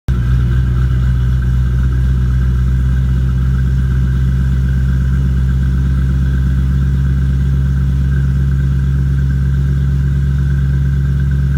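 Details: 2005 Mustang GT with Department of Boost GT450 supercharger, V8 idling with a deep lumpy rumble and a faint steady whistle from an intake vacuum leak.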